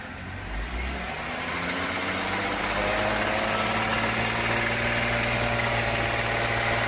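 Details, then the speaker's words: BMW E46 325i with an M54B25 petrol straight-six and a poor oil-change history, idling: a steady, fairly regular knock under the hum, first mistaken for lifter tick, then confirmed after 3,000 km as rod knock. "I initially thought this was a lifter tick and proceeded to put another 3,000 kilometers on it, only to later confirm it's a rod knock."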